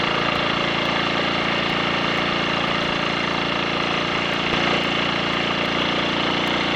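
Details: Triumph Sports Cub single on a road ride after fuel tank cleaning for fine rust and a projected-nose spark plug: steady even note, no stumbles or cut-outs; rider notes slight hesitation at half to three-quarter throttle, suspects crud on the carb needle.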